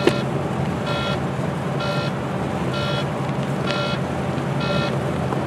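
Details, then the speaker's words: Truck cab: a high, tinny warning buzzer repeating about once a second, continuous for hours. It persists after several engine restarts and a system restart; the cause is unknown. "sounds like a pterodactyl in my head making its noise"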